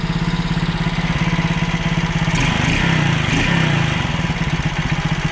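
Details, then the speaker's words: Alfa 110 moped, reassembled after a valve-like knock. Steady single-cylinder idle with regular firing pulses and no heavy knock, only a faint tick. Mechanic suspects cylinder wear and says a good cylinder would run quieter. "Стук [музыка] прошёл, ушёл. Что-то проскакивает, но это уже непонятно где."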